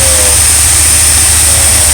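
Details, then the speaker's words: RV V8 idle settling down smoothly from the carburetor after new ignition module and ballast resistor; not yet fully warm, idle expected to drop once warmed; no stumble or miss, running normally. "Carburetor, look how smooth that comes down. Now, I've never heard it run like this. The idle until it's warmed up."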